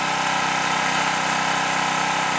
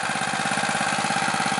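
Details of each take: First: New stock Harbor Freight Predator 212cc OHV (Honda clone, EPA model), warmed up, choke off, at full factory-governed throttle: screaming with faint surging as governor rocks back and forth compensating for very lean carburetor mixture. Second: New, stock Harbor Freight Predator 212cc OHV single-cylinder, warmed up, choke fully off, at the factory-set idle: a quick, even putter with no misses or knocks. Normal idle.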